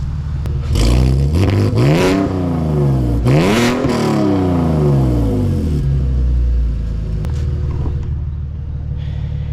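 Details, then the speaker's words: BMW E46 wagon with newly installed headers, heard outside while revving: two revs with a raspy, puffing edge under the exhaust note; header flanges leak, two bolt holes never lined up, owner suspects installation error. "the headers definitely have some leaks at the flanges I've got two bolt holes that literally like never would line up"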